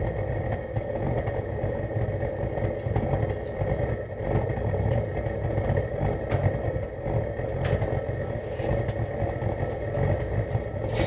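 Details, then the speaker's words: DIY gravity-drip waste-oil burner burning engine and hydraulic oil, at start-up: an irregular rumbling roar with sharp pops and chuffs, backfiring from the oil added to start it plus the drip. "backfire because there's too much oil in there right now and that is the oil that I added to start off the process"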